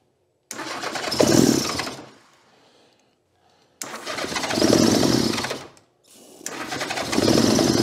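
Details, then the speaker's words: 1982 Honda GL1100 Goldwing, sat 12+ years, with carburetors so gummed the throttles can't open: catches in ragged bursts on a couple of cylinders, swelling and dying, never settling to idle. "Now the carburetors are so gummed up, we can't open the throttles. Got a couple of cylinders anyway. Means the rest of them will probably come around."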